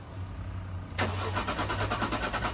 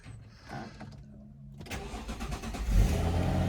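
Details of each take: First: Jaguar S-Type left standing six years, quarter tank of fuel of unknown age: starter spins the engine with a steady chugging rhythm of about six beats a second but it never catches; fuel pump not heard running. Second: Circa-2000 Jaguar S-Type left in a carport for years, first start: brief crank, catches immediately and settles into a steady, even idle; clean start, though engine management light comes back on.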